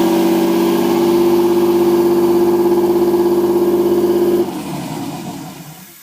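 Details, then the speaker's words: Nissan 240SX S13 with RB20DET, second start attempt after rewiring the harness and jumping the neutral circuit, no mass airflow sensor fitted: fires right up into a steady, fast, even idle clearly above normal, then shuts off; missing MAF suspected. "well it runs just [ __ ] awesome see yeah surprisingly it actually fired right up and the idol is definitely high but not having a mass airflow"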